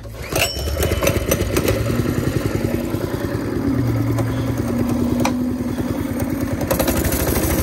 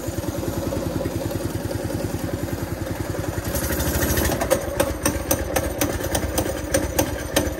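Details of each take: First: Baja Warrior small single-cylinder at full throttle while riding, after the zip-tie fix and inflating a flat tire, buzzes steadily at high revs with pitch rising and holding and no stumbles. Running healthy; poor pickup was blamed on the flat tire. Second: Baja Warrior small engine, long-sitting, just started cold after a throttle zip-tie fix, putters unevenly with an irregular beat that roughens after a few seconds. Owner suspects the carburetor needs cleaning and the engine needs warming up.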